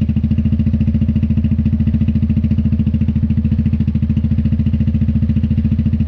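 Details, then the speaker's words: Newly mounted Dominator exhaust with a remade medium baffle on an MP3 500: steady, even idle thump at about 3.5 beats per second with no metallic rattle inside the silencer (earlier "gling-gling" gone). Normal idle. "Il fait du bruit, il fait du bruit. Allez, on va regarder un peu ce que ça donne au niveau décibels."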